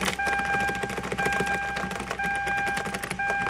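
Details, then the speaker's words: 2009 Hyundai Santa Fe idling evenly under a warning chime while the key is wiggled, after replacing the faulty ignition switch that had randomly engaged the starter. The screeching is no longer present. "and no more god-awful screeching."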